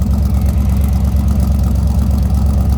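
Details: 1957 Ford Ranchero with a 292 V8 and automatic transmission, heard from the rear at the tailpipe: steady, deep low rumble with an even, smooth lope. Normal idle.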